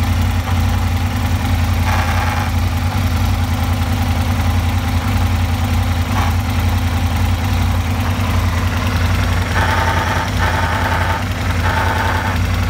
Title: Aprilia RSV Strange noise